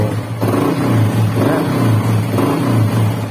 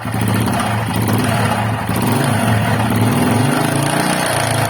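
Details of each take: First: Honda XRM125 engine after rebuild, freshly assembled, needing warm-up and break-in: low, even note with three smooth throttle blips, no knocking or rattle; earlier grinding noise gone, normal revving. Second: Honda XRM125 motorcycle before teardown, camera close to the engine, owner suspects the camshaft: loud clattery single with an uneven knock under the beat at idle and revving; noise could be piston, camshaft, connecting rod or crankshaft bearing, source unknown.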